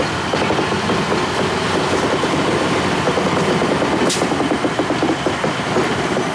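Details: 1953 GE 80-ton long-frame diesel locomotive, last run 1998 by the Navy, just revived: deep steady drone with rail clatter holding firm as it pulls; loads and moves normally. Air throttle has dead spots, likely loose wiring.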